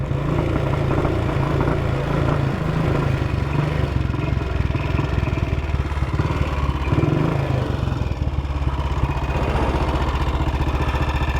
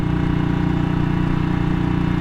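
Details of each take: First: 1959 BSA motorcycle running rough and uneven, stumbling, misfiring and backfiring; ignition key had fallen halfway out of the lock, between on and off, suspected to be cutting the ignition in and out. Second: 1959 BSA motorcycle ridden at a chilly 7°C, after earlier backfiring blamed on the ignition key half out of the lock: steady low engine beat running evenly, no misfire or cutting out.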